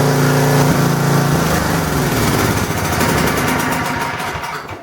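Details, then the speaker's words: Small single-cylinder generator after repairing an exhaust valve that was not closing and had caused low compression: started on full choke, it catches and settles into a fairly steady run at the right speed once warmed up, less rough, with no knock or miss; now starts on one pull. "Okay, I believe this is a success because once it's warmed up, it starts to run at the right speed. It isn't so rough."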